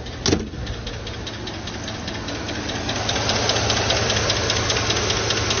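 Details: 2012 Chevrolet Tahoe petrol V8 at idle: light steady lifter tick, two to three taps a second; held at 2000–3000 rpm the tick fades, pointing to a weak oil pump and low oil pressure; pump replaced.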